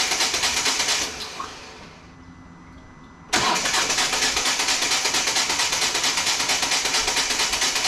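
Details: 2014 Volvo V40 D2 1.6 diesel (D4162T) after stripped timing belt damaged the cylinder head: runs briefly and fades, then loud even pulsing cranking that won't keep running; diesel system checks seemed fine, cause unconfirmed; crank no start.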